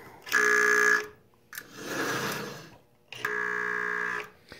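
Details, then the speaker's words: Marx 994 toy train locomotive that does not run: only on-off buzzing bursts from the reversing unit, no motor hum, because the bottom motor brush is missing. Needs a new brush fitted. "the even that you're hearing doesn't sound like the motors getting any power at all so oh no wonder the bottom brush is missing"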